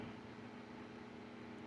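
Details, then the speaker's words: Vintage Kenmore 124.8055 (Dyna Mimar) fan, failed speed coil replaced with triac control, turned down a little; soft steady whoosh with faint low triac hum from the duty cycle, no rattle or tick; normal running at reduced speed. "And then you turn it all the way down if you want it to go slow. That's pretty decent. You still get the little hum of the Triac there performing the duty cycle."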